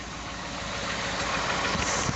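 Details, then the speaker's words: Ford F150 3rd gen 5.0 V8, original engine and transmission, 100k+ miles, cold start at about 37°F: rough uneven idle with a noticeable knock, louder some days, unheard above 1200 rpm, power intact; cause undetermined. "got the same knock. Honestly, sounds about the same. Some days it's a little louder, some days it's not. Pretty freaking noticeable. At idle though."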